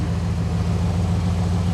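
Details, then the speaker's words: Jump-started van with an unidentified V8 after sitting in the yard: deep, even V8 burble with a steady beat and no knocks or misses; engine idling smoothly and healthy. "A creepy V8? I don't know, it sounds pretty good to me."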